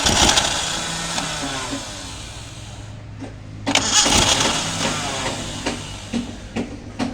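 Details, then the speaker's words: Maruti Gypsy carbureted engine, cold start after long sitting, petrol poured into carburetor: starter cranks in uneven bursts with faint coughs but never runs; suspected carburetor idle valve fault, to replace or clean with petrol. "ഇത് complaint കാർബറേറ്ററിന്റെ ideal വാൽവിന്റെ ആണ് just replace ചെയ്യോ അല്ലെങ്കിൽ അവിടെ ആ ഭാഗം ഫ്രിഞ്ചിൽ petrol നിറച്ച് clean ചെയ്യുകയോ ഒക്കെ ചെയ്താൽ സ്റ്റാർട്ട് ആകും"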